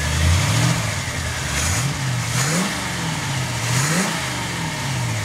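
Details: 1950 Ford Sedan Delivery resto-mod with a 350 small-block V8, Turbo 350 automatic and MSD ignition: crisp throttle blips rise and fall cleanly from a smooth idle with no misfire or stumble, so the V8 revs freely and healthily.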